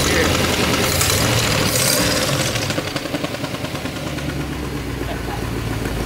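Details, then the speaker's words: C4 Corvette Chevrolet V8 with new headers just fitted, not yet connected to exhaust: very loud raw crackly idle with sharp uneven pulses, unmuffled, like a demolition derby car. "like a demolition derby car right now it's hard to tell what it'll sound like"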